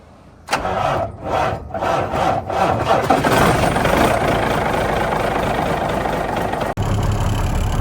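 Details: Kenworth T600 diesel semi after a new alternator and belts: a few quick cranking pulses, then it catches and settles into an even, steady low idle with no knocks or whine; charging near 14 V at low idle versus about 12 V before.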